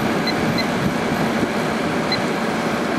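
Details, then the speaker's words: 2003 GE 12,400 BTU window air conditioner (Samsung-made, rated 1,270 W, 11.7 A): steady rumble with even compressor hum and fan rush, drawing 7.3 A/727 W rising to 8.2 A/960 W as pressure builds; compressor running normally. "Let's let this run for a while and let the pressure build. The pressure sounds good."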